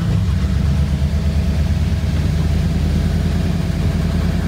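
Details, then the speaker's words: 1985 Ford Bronco V8 revived from unknown condition, after new spark plugs installed; deep steady burble at quick even idle, no misses; idle speed rising with each change, normal idle. "like it's getting better and better idle speed has definitely been getting faster the more changes i've been making sure sounds like a v8 now"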